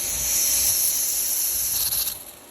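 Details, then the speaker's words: Bleed valve on top of the pool filter opened after basket cleaning: a steady high-pitched hiss of trapped air escaping, fading as water arrives, meaning the air is out. Pressure should read about 50. "Open this valve. It's a purge. You can hear the air coming out."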